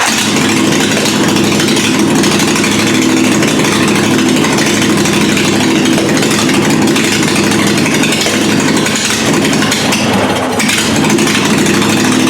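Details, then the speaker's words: Murray riding mower with a 22 HP twin engine swapped in, just after its first start: steady, even idle that never rises because no throttle linkage is hooked up yet. "oh man and that's with no throttle idle speed it's definitely time to hook up a throttle"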